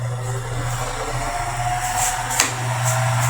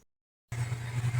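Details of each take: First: Mundial fan with a previously adapted poor-quality bearing: steady motor hum under a hissy, scraping rub with faint rhythmic swishes, worn bearing running with friction, before replacement with a good-quality bearing. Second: Mundial electric fan after replacing poor-quality generic bearings with original 608 ZZ sealed bearings, running at top speed with a steady low hum and soft air rush, no rubbing; normal operation.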